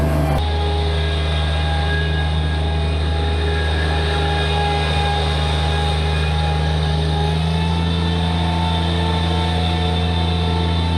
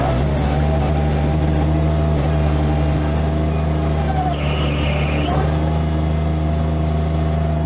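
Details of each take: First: Bobcat MT85 mini loader after belt tensioner replacement, steady deep diesel drone with a full bucket under load, even tone and no belt squeal; the old tensioner was the problem. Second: Bobcat MT85 mini loader running hard under load; a faint high squeal rises only during one particular turn and not with an empty bucket. Belt looks tight and sound, so the worn belt tensioner is suspected.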